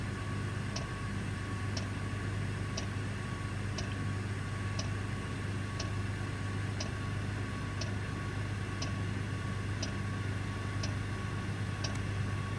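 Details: Parked heavy-haul truck, engine off, Webasto diesel bunk heater running: soft tick about once a second over a low steady hum, normal heater clicking.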